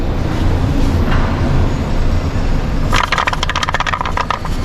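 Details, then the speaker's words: Audi A1 on a ramp with engine running and driven: low rumble then quick, uneven metallic rattling from a loose underbody part that still has play even with its screws tightened. "this thing is the Lord rattling away screws are somewh tight"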